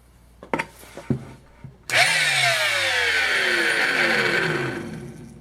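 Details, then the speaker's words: Flea-market power tool plugged into a shop outlet; it spins up loud and harsh with a rough whirring whine, then winds down; owner hears nasty bearing noises, unconfirmed. "sounds horrible loud nasty bearing noises and that thing that's going to need some attention"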